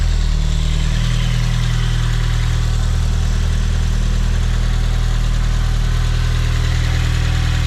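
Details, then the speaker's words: Toyota MR-S with freshly built big-turbo 1.8 20V swap engine, Ignitron ECU, Nissan 1330cc injectors, first start from cold with no coolant: strong steady idle, even pulse about four per second, no misfires or rattles; running cleanly. "I cannot believe my Nissan 1330 CC injector massive and it runs like this from cold amazing"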